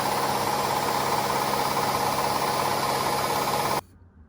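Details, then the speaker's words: Hotpoint Aqualtis washing machine, empty, after fitting a new drum for a shot bearing: smooth, even mid-pitched spin hum with slight oscillation, no knocking or grinding, winding down cleanly. "the belt is holding machines oscillating a little but that's what i'd expect but it's got no it's got no load in it"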